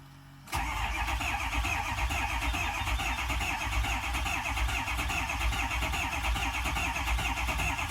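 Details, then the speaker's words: 2006 Ford 6.0 Powerstroke diesel, first start after rebuilding the IPR sensor for a crank-no-start with codes P2285/P2286: starter catches at once and it settles into a steady, even idle; repair worked. "There She Goes she's alive she's kicking"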